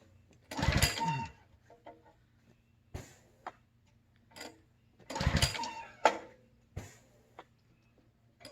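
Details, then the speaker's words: New Simpson ALH3228-S pressure washer on its first startup, with fuel on. Two pull-cord rips give only a rattly spin with no firing. It cranks but won't start, and the owner is unsure what's missing. "okay what's the deal here it's not even trying to pop off"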